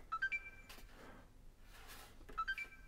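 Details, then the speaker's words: Broken games console (power brick light orange to white to orange): quick rising chime then the same chime about two seconds later, switching on then straight off; shorted power rail suspected, not confirmed. "when it beeps on beeps off like that that quickly I think that is usually a shorted power rail"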